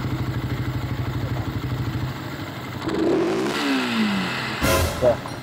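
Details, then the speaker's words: Rider 150 Fi single-cylinder motorcycle, balancer recently replaced: idle pulses, then after a rev a long trailing mechanical rattle on fall-off; crushed crank bearing. "parang may ano may pahabol na tunog"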